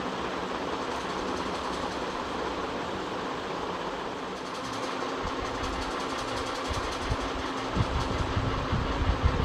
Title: Ceiling Fan Bearing Sound Problem #shorts #ceilingfan #fan